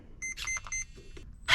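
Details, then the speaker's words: Traxxas TRX4 Sport with newly installed Hobbywing motor and ESC, first test on battery: clean high electric whine in throttle bursts, smooth, no grinding; forward direction reversed, fixable in transmitter; normal motor run. "so we got steering and we got going forward but it's revers but we can go into the controller and fix that"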